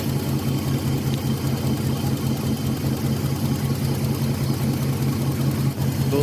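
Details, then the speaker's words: Older Nissan Maxima V6 idling rough with an uneven low thump as two coils get no signal; the sound changes when pulsed directly with a tester, pointing to a faulty ignition driver chip in the engine ECU; misfire at idle, two cylinders dead. "तो जैसा अभी हम tester लगाएंगे की positive है और इसको pulse देंगे डायरेक्ट देंगे और देखेंगे की इंजन का जो साउंड है वो चेंज होता है की नहीं"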